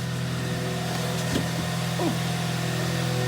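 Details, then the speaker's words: Hyundai i30 at 195,000 km after full engine overhaul for heavy knock, diesel-like running and oil consumption; first start, heard from the cabin, steady even low idle hum, no knocking or tapping; normal idle. "работает ровненько чистенько все хорошо"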